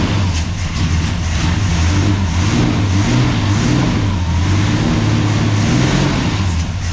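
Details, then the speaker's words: 1969 International C1100 pickup, Valiant 265 Hemi six, first start after sitting years on mechanical pump: loud low lumpy uneven running, occasional stumble; owner suspects lifters or dodgy plugs. "Will it run? Yeah, it will run. It's running like a bit of a hairy goat."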